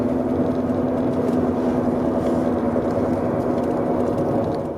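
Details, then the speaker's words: BMW E91 at cruising speed, about 50–100 km/h, before rear differential replacement: a steady low whine over road roar, unchanged with the clutch in and worse with speed. Owner suspects a worn rear differential, unconfirmed. "Si je débraye, ça change rien. Là je débraye. Ouais, même à 50, je l'entends."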